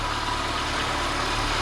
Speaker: Всё в порядке, индикатор заряда батареи не горит. Визга не было слышно.